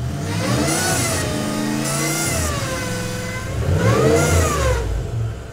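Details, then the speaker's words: Power steering: high-pressure line from pump through aluminum firewall bulkhead sprays and resonates through the chassis, a high banshee shriek rising and falling with revs, loudest at high rpm. "which is creating this noise that vibrates and resonates through the entire chassis. And it creates this god-awful banshee shrieking noise anytime the RPM get too high."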